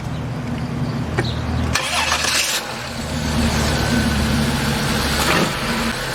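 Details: 2005 Chrysler Pacifica AWD, 3.5L 24-valve V6, after seized alternator and failed starter were replaced: brief crank, then it catches cleanly and settles into a smooth, steady idle with no grinding or knocking; normal start and idle.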